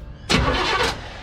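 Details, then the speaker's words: Chevelle sat in a Texas barn about 15 years, last run ended in fire, coil wire disconnected: short strong crank with quick even turnover, no dragging or clicking; starter and battery sound healthy. "Alright, let's see if it cranks. Oh, that sounds good."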